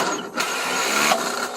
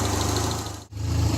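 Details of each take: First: 1975 Triumph Spitfire after smog removal, freed-up distributor and corrected backwards-wired ballast resistor: brief crank catches at once, settles into deep steady idle, "fires right up and purrs like a kitten"; timing still off, carburetor awaiting rebuild. Normal start and idle. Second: 1975 Triumph Spitfire after smog removal, valve adjustment, freed distributor, timing set by ear, air box off: warm steady idle stumbles once briefly; slight miss, owner suspects carburetion, carburetor due for rebuild. Slight misfire at idle.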